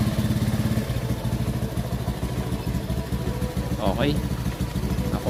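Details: Honda Beat Fi scooter after a scan tool cleared an EOT sensor fault code and the PCM was reset: the small single ticks over at a quick, steady pulse with a clean short blip and no popping or missing. It runs healthy.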